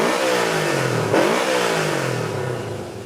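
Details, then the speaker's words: Honda CB360 twin after a full tune-up and carb adjustment (idle mixture turned out half a turn past smooth): it settles into an even idle, then a crisp blip rises and falls cleanly without stumbling. Normal idle and throttle response. "carbs are set here's what we're looking for a nice smooth idle and a very responsive throttle"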